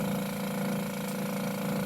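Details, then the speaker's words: Met One Instruments sampler pump during a flow calibration check, slowing down to the final 15 point: steady, even hum with a low drone, no rattle or surging; normal pump running. "Okay. Pump kicks down a little. Wait till this stabilizes at 15."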